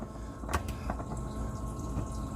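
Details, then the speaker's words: Boat air conditioning running normally, heard while changing the oil filter on a Volvo Penta D9 575hp marine diesel: a low steady hum with soft water rushing and occasional clicks. "I don't know if you can hear it in the video. That kind of water noise. Uh, that's the AC."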